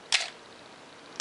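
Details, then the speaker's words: Canon AE-1 Program 35mm SLR with 50mm FD f/1.8 lens, untouched as found, slow speeds and bulb: two crisp shutter clicks about a second apart, open then close, no squeal; normal shutter operation. "If we set this down on the slower speeds, 1/4 of a second, 1/2 of a second, 1 second, and 2 seconds, and if you watch in there you'll see the lens stopping down properly, and on the bulb setting it will release when I let up on the button."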